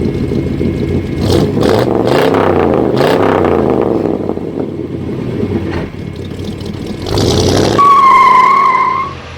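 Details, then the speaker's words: 1988 Corvette C4 with 350 (5.7 L) Tuned Port Injection V8 during inspection: smooth, regular idle with deep burble and a couple of clean blips that rise and settle evenly, no knocking; normal idle and rev. "moteur tournant dans un premier temps pour que vous puissiez en apprécier le vrombrissement du moteur, un moteur tout doux, tout régulier."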